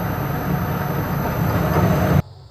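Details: Restored Powermatic Model 90 wood lathe with a new motor on a variable frequency drive, speed set by a potentiometer. A smooth, even low hum with no knocks or rattles, then an abrupt cutoff; normal motor run.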